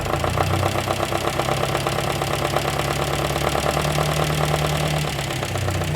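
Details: 1954 MG TF at idle; new owner reports a concerning noise heard only recently: fast rapid ticking riding over the exhaust note, steady throughout; mechanical engine noise, cause not yet diagnosed.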